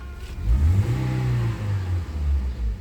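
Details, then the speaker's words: 2019 Toyota Avanza after tune-up and spark plugs, which fixed a P0304 cylinder-four misfire: clean rise and fall over a few throttle blips, no stumble or limping; revs normally. "hidupin ini enggak ada sensasi berebet enggak ada sensasi pincang"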